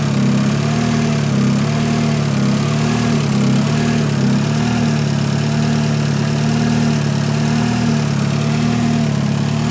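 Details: 500hp Honda Civic idling on first start after installing a Gates RPM racing timing belt and KS Tuned tensioners, with the balance shafts set; even idle with a steady low hum and no slap, tick or chatter from the timing side. Normal idle.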